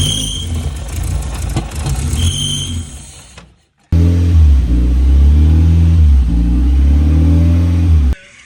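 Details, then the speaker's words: Mazda Miata on its first test run after an engine swap, MAP sensor plugged in: blips, drops out, then settles into a lumpy, pulsing, uneven idle. The water pump is fine; timing is suspected off by 15–20 degrees. "Water pump is fine, so try. sounds like the timing's off by like 15, 20 degrees."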